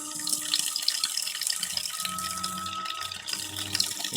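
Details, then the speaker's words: Pressure regulator in a home water line at about 50–55 psi: steady tonal hum over rushing water, with gauge fluctuation and small water hammer that grows as more water flows; pressure is good but the regulator's diaphragm and internals are failing. "see it bouncing around there's a small water hammer issue but that's indication to us when we're running these tests that even though the pressure is good this is said to about 50 psi 55 psi"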